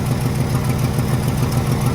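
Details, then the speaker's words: Truck with a freshly cleaned and rebuilt Carter downdraft carburetor, fully warm at idle: steady, even low pulse with no misses or stumbles, idling beautifully. Normal idle; a miss appears only under throttle and load, compression test planned. "All right, so it's up to temperature. It's idling beautifully."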